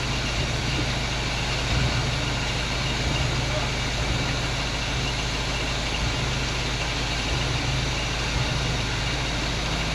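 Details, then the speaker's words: 1947 Chevy hot rod V8 stored and forgotten for years, first run out of storage: steady, even idle with smooth low rumble, no misses or stumbles, hitting on all eight; normal idle. "she runs all right I'm gonna let idle turn the battery up seems like it's hitting on all eight now"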